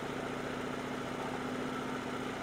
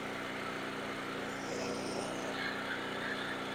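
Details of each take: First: Portable generator with a newly replaced carburetor, smoking from old gas, warming up on partial choke: an uneven, popping, lumpy idle that stumbles before the choke is taken off; rough running on partial choke. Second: Portable generator after carburetor replacement, warming up on old gas: popping settles as choke is eased off, then steady even hum with no surging once choke fully off; healthy warm idle.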